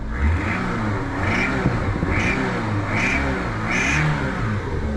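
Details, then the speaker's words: Daihatsu Mira kei car, turbo: under load when given gas, a high chirping squeal returns in bursts about once a second, source unclear; diesel-like sound owner suspects is a cracked exhaust manifold. "And on top of that, when I give it some gas and it goes under load, I have a squealing sound, which sounds like..."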